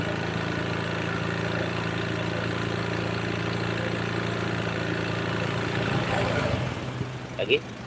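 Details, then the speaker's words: Honda Beat scooter that keeps pushing oil out through the engine breather hose into the air filter box: hot single-cylinder idle with a light, steady knock under the exhaust beat, piston slap with blow-by into the crankcase. "Lalu kenapa bisa kayak gini masalahnya adalah di Kita dengerin mesinnya kemudian dengan suara ketukan"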